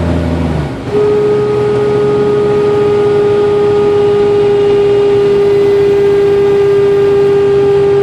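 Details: 1992 Jeep Cherokee with A/C on: steady mid-pitched whine over the engine, intermittent, mostly at lower rpm or after a quick rpm drop, stops when A/C is cycled off then returns; compressor buzzing from liquid refrigerant in an overcharged system.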